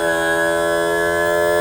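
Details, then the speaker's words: Mercury 60hp four-stroke outboard power trim/tilt after topping up low fluid and bleeding air; even steady electric whine, no stutter or pitch change. Normal trim operation. "Now let's bring it up. See if there are any stutters. Okay. Not a stutter at all."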